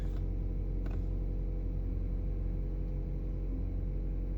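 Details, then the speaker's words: 2018 Chevy Colorado idling after replacing key remote batteries: steady low idle with no repeating turn-signal-like clicking, which had occurred with key in and door open; new remote batteries appear to fix it. "no clicking yep no clicking it's automatically unlocked"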